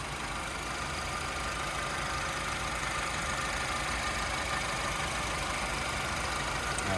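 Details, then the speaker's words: 2011 Honda Civic at idle, recorded in the engine compartment: a steady, even idle hum with no knocks, ticks, misses, odd noises or vibrations; a smooth, healthy-running engine. "as you can tell very nice and smooth running engine no odd noises or vibrations"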